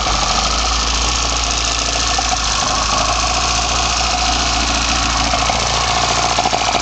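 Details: BMW 318i with M10 four-cylinder engine, first startup after fitting sidedraft individual throttle bodies (Carburetor Man / Dramatic Racing): loud, steady engine note with hissy intake roar and even beat, no misfires or stumbles; normal healthy running.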